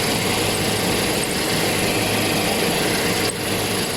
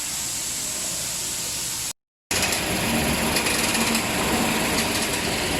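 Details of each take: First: Toyota Hilux idling with a faint, high cricket-like chirp heard with the clutch pedal released, which disappears when the pedal is pressed; the chirp is attributed to the clutch release bearing. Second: Toyota Hilux with engine running, after lubricating the clutch release bearing for a cricket-like chirp heard when the pedal was released. Even, steady running with no chirp from the transmission; fixed without replacing the clutch.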